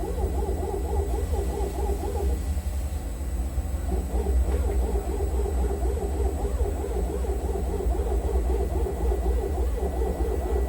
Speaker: Now I would like record noise. It's no normal noise.